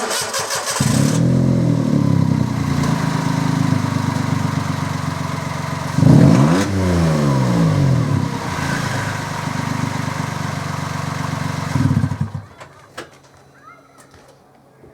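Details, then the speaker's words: 2006 Toyota Yaris 1.0 VVTI with snapped middle/centre exhaust section, before repair, windy outdoors: engine starts and idles with an unusually loud, raspy, booming racecar-like exhaust note from the broken pipe leaking. "It's so funny and it's so loud."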